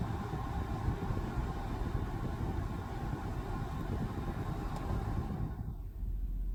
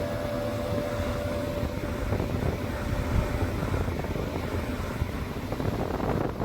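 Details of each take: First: Steady, even rush of air from the blower motor of a W221 Mercedes S550 4Matic at constant speed, no rattle or squeal, then winding down; it was reconnected after cleaning for intermittent no-airflow and is blowing for now. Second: Mercedes W221 S550 4Matic climate blower motor that intermittently blew no air, after cleaning and heavy greasing; at full speed a rough, fluttering roar instead of a smooth whoosh. Owner wonders if the grease caused it; not confirmed.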